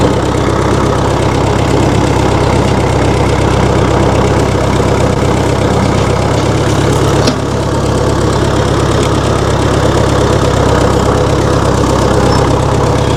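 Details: 1960 Massey Ferguson FE35 tractor, 4-cylinder diesel, after sitting unused in a paddock for a long time: holds a steady low clatter at idle, even rhythm, no hunting or misfire; healthy idle.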